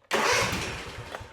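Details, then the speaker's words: Cub Cadet Ultima ZT1 50 zero-turn with Kawasaki twin-cylinder engine, 142.8 hours, 12.7 V battery: engine catches sharply, runs a brief uneven burst, then dies within a second; stall after start from too much choke, it needed little. "Now, it started, and then it stopped. Now, that just tells me it didn't need much choke."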